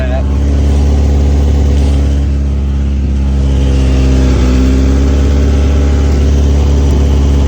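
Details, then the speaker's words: Lowered Honda Integra, engine cooled for a couple hours, idling after scraping the exhaust on a steep lot: loud, raspy low rumble with rough puffing from a leak where the header meets the rest of the exhaust, blowing leaves underneath. "all right so that's definitely where the leak's at it's moving the leaves out from under it"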